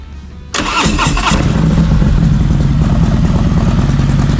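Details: Harley-Davidson M8 bagger after new NGK Iridium plugs and Sumax 10mm wires, cold start: quick crank, catches cleanly and settles into an even, lumpy V-twin idle with no misfire; healthy.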